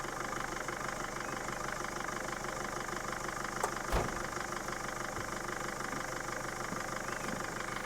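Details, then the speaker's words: Mercedes Sprinter van diesel not started for five years, after cranking to draw fuel from the tank: low, fairly even idle with a steady soft beat and no knocks or misses; reasonable normal idle. "that's not really bad after five years and that's pretty reasonable you listen to that"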